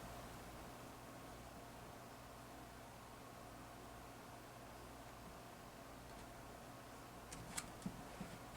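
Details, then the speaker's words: 1999 Lasko 3733 box fan with a Marco shaded-pole motor that was slow on all speeds; after cleaning and relubricating the dry bearings it spins freely with a soft, even hum and no bearing noise. "sounds different to me spinning really nice now I don't hear the bearings anymore"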